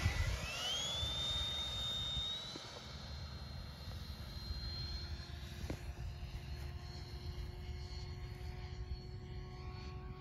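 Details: Freewing F5 Tiger RC ducted-fan jet with a 12-blade fan swapped in for the 9-blade on the same KV motor: high fan whine sweeping up and fading on a pass, sounding off and flat and slower; mismatched fan.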